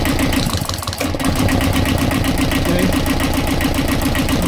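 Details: Universal 5411 diesel cranked with the decompression lever held open: starter spins it fast and evenly, about four soft beats a second with no compression chuff; the engine starts once the lever is released.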